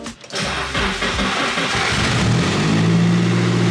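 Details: Nissan S13 with SR20DET, newly installed CD09 adaptor kit: cranks briefly, catches at once and settles into a steady, even idle with no misses or knocks; a clean, healthy start.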